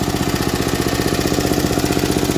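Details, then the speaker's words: Vintage MTD ride-on mower engine, idling: light even ticking in time with engine; tappets slightly ticky, lifters clacking a little, meaning clearance not tight, normal tappet tick. "Tappets are a little ticky, but that's good, that means they're not tight. Lifters you can hear clacking a little bit."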